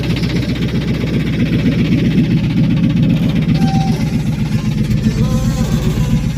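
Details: Steady idle with a quick, fairly regular knock about four per second riding over the engine; owner suspects rod knock, lifter or timing chain, unconfirmed.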